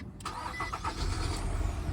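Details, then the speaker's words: Nissan Altima 2.5 L, first start after replacing the original factory starter in a no-crank no-start case: quick brief crank, catches almost at once and settles to smooth steady idle; starter and engine working fine. "and as you [Music] see we're started up just like that give us some RPM just so you can believe as you see RPM needle moving car is definitely on"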